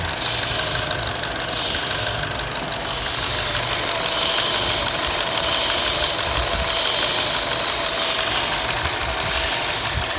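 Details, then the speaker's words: Chevy Cruze/Malibu/Impala with manual transmission, traction control alert and code P0171: loud, steady suction hiss from a torn internal diaphragm over an uneven idle that bogs and recovers, rattling the shift knob. Vacuum leak from failed diaphragm; part to be replaced. "as it makes that suction sound the engine is bogging down and this is a manual transmission and believe it or not sitting in the car you can see that shift knob rattle while it bogs down"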